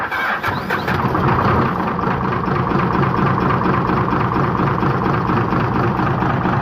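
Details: Hino J08C diesel truck engine with reported power loss and oil coming from the exhaust (cylinder five suspected) cranks and catches, then a heavy, uneven knock pounds under idle about three to four times a second; piston damage suspected.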